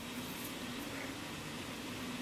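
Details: Cooling fan in a roughly 12-year-old Showtec 1W RGB LED PAR64 fixture, running in a near-silent room, low slightly wavering growling hum over soft airy hiss: worn fan bearing, fan being replaced.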